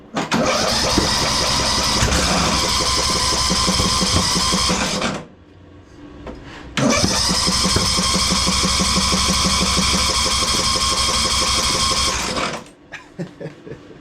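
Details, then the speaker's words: Craftsman DLT3000 lawn tractor engine, after head gasket and new carburetor, gives two long bursts of steady starter cranking at about three turns a second with no firing; cranks but won't start, owner suspects timing is off. "Yeah, it's not going to work. I don't get it. I mean, it's really acting like timing is off."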